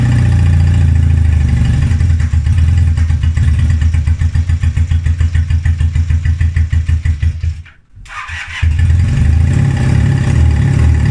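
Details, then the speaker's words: 1978 Honda CB250T twin after revival, previously would not start and sputtered and fell flat on throttle: catches, settles to a steady beat, dips briefly, then revs cleanly without bogging; running properly now. "before this it didn't even want to start and when I hit the trolley would just like fall flat on its face you will hear it like sputtering but now I'm able to get it from revs"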